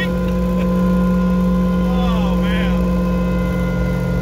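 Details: Car with a used ring and pinion at highway speed, before the rear end rebuild: a steady droning whine at constant pitch over road and engine noise. Rear differential whine from the worn ring and pinion.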